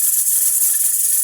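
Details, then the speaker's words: All American pressure canner with raw-pack pork: the weight jiggles and hisses continuously without pausing even though the gauge reads just below 15 psi, so pressure is too high; heat gets turned down to aim for one to four jiggles a minute. "okay we're officially doing a jiggle wiggle and it'll just constantly go single means my pressure is too high even though my gauge says i'm just below 15 pounds"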